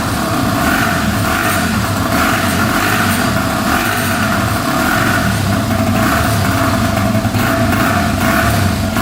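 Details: 2005 Yamaha TTR250 single-cylinder, sat without starting, after replacing a carburetor needle that blocked fuel: loud crisp note holds steady and revs cleanly with no ticking or misses, no carb leaks; normal running.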